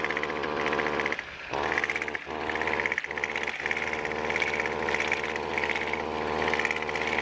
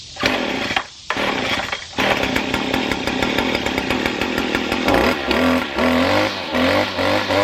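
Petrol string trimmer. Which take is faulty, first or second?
first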